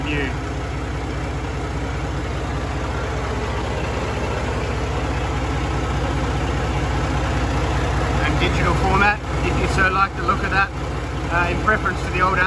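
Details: New FPT Cursor 16 1000 hp marine diesel, inline-6 15.9 L common rail: deep steady low thrum at 600 rpm idle, even beat with no knocks or rattles, very quiet for its size; normal idle.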